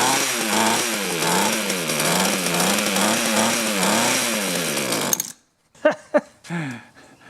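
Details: Mantis mini tiller 2-stroke, outdoors, low-speed screw turned out half a turn, throttled up: high buzz surging about every half second, then cuts out (kill switch hit); running, mixture still being tuned.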